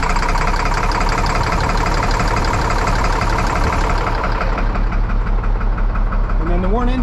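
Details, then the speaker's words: 1998 International 4700 with DT466E diesel, no-start traced to a missing HPOP Ferry plug ball, running after repair; deep steady rumble with an even beat and no misses or knocks, though the engine warning light stays on. "and it's it's running smooth right now I've started it twice"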